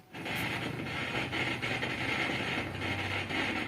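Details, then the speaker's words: Set-top box (DTH Free Dish receiver) switched on, giving a steady raspy crackle in its sound output with no rhythm. The fault is inside the set-top box's audio, not the TV. "आज हमारे पास में एक set box है इसमें खरखरा की आवाज आ रही है यह सेट बॉक्स के अंदर ही प्रॉब्लम है टीवी के अंदर नहीं है"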